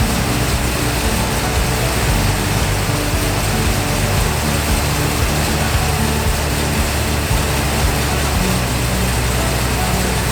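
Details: Ford Mustang Mach 1 V8 after carburetor change and hydrolock episode, idle set near 850 rpm, still warming up: loud, steady, deep rumble with even beat, no knocks or misses; idles cleanly.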